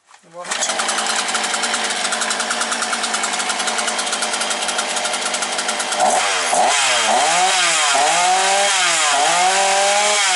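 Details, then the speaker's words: Alko BKS 40-40 two-stroke chainsaw after overheating repair with cleaned carburettor and crankshaft seals; fires up, holds steady crisp idle and revs cleanly without stumbling; normal running. "Ну все маєте дзигер працює Як маю як дзигер працює отак"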